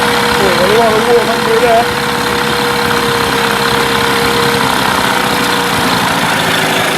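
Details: Mercury 8HP two-stroke outboard, unknown storage time, running in a water tub, in gear: steady even buzz holding pitch without misses or surging; runs cleanly.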